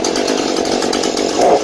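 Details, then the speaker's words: Husqvarna 435 chainsaw after refilling with fresh mixed fuel (bad fuel caused idle loss and stalling at high speed): steady, even high-revving buzz, no bogging or sputter, holding idle and high revs normally. "Nó duy trì trạng thái chạy không tải và vòng tua máy hoạt động bình thường ở tốc độ cao."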